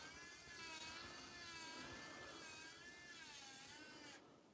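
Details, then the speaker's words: SCX10 RC crawler winch run by radio controller: thin high-pitched electric whine wavering slightly in pitch for about four seconds, then stopping cleanly. Normal winch operation. "then I can pull it back in then I just turn it till that noise goes away so that's how the windshield works"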